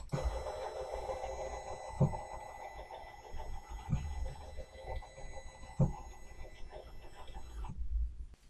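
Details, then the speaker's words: Sainsmart 3018 PRO CNC, GRBL acceleration $121 at 1600 (80% of stable 2000): even stepper whine with soft periodic thumps, cuts cleanly near eight seconds, no stalling; normal stepper traverse. "So again, I'm quite comfortable with that. And that was at 2000."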